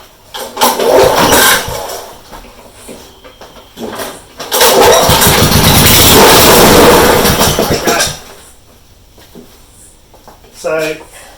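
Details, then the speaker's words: Honda HRU196 19-inch mower, about 10-12 years old, that won't start or runs rough: cranks, then fires roughly for a few seconds on starting fluid sprayed in and dies, showing compression and spark are fine and the fault is fuel supply. "so what that tells me now yes that's a good indicator we've got a fuel problem okay that engine then with the the start up put straight into the ball fired up and wasn't an issue"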